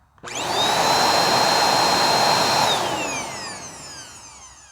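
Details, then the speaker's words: Bissell Powerforce Helix Turbo Rewind 1797 vacuum, first power-up before refurb, recorded close to the mic: motor spins up to a steady high whine and winds down smoothly without grinding; normal motor run despite some wear. "perfect that is just not that bad at all I mean [Applause] really I mean it's got some wear and tear but that is not bad at all"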